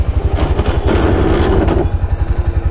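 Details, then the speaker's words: Honda ATV (Rincon 680 or Rancher 350) idling: squeezing the rear brake handle brings a low grinding whine from rear brake pads rubbing over the engine thump; front brakes work fine, rear pads need replacing. "yeah it's pretty bad so let uh get that fixed up you can also hear the The Whining with it with the brake pad rubbing back there"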